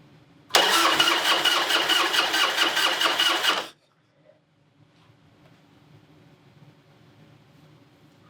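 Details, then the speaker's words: Harley-Davidson Heritage Softail (about 1996–97) with an Evo engine, sitting for years, battery charged overnight: the starter turns the engine over steadily for about three seconds but it never fires; cranks, no start, old gas suspected, tank to be drained and carb pulled. "in it start yeah that gas is old so i guess first order businesses we'll go ahead and uh take the fuel line off the petcock and drain all the old gas that's out of it"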